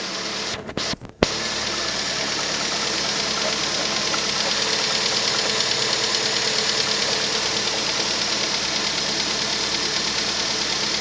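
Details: Rover 25 1.4 petrol cold start: steady normal idle with light, quick ticking from hydraulic tappets, normal at cold temperature; normal cold idle with tappet tick.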